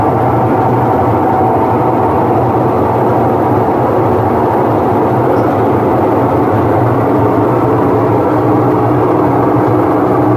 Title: Whirlpool washing machine noise problem